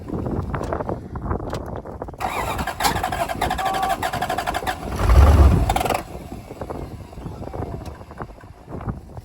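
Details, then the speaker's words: Toyota 1UZ V8 first start after sitting a few years, brake cleaner sprayed in vacuum tube: catches then runs lumpy, stumbling idle, seemingly on about 5 cylinders; owner suspects gummed injectors from stale fuel. "yeah so it runs it's uh I'm guessing it's running on about 5 cylinders"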